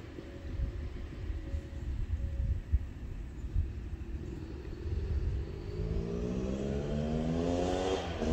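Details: Yamaha YZ250 two-stroke (270cc/250cc) motocross bike on break-in street ride after full engine rebuild (bottom end, transmission, bearings, clutch, power valve): crisp pulls rising cleanly through each gear, smooth revving, no knocks or rattles; healthy.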